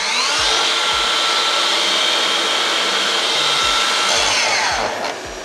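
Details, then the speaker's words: Makita 40V mitre saw with a wirelessly linked Makita VC4210MX2 1200W M-Class extractor on auto: steady high whine with even pitch, spinning down cleanly; the vacuum runs about 10 seconds after the saw stops, and all sounds good. "Everything works. The vacuum keeps running for around about 10 seconds once you've switched off the saw, but it all sounds good."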